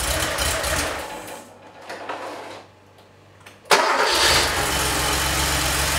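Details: 3.2L Porsche 911 Cabriolet after head studs, cleaned/resealed injectors, drained old fuel and restored spark: cranks briefly, catches sharply, settles into strong even idle with no misfire or knock; healthy start.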